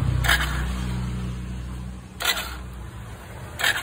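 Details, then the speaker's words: Hero HF Deluxe motorcycle, key on, self-start pressed: low electrical drone with a few sharp clicks but no cranking, and the neutral light goes off. The battery is dirty and in very poor condition; its voltage is checked and it is replaced. "গাড়িটাই self হচ্ছে না। চাবি switch on করে self মারলে এইরকম আওয়াজ হচ্ছে।"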